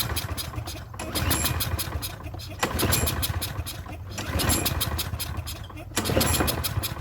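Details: Troy-Bilt self-propelled mower with Briggs engine, primed with carb cleaner/starting fluid: repeated pull-starts, catching only briefly and dying between tries, fuel starvation pointing to clogged carburetor main jet.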